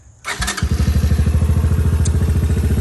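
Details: Honda Fourtrax 200 Type 2 ATV after new steering bushing: quick crank, catches at once, settles into even steady single-cylinder thump at idle; running clean and healthy.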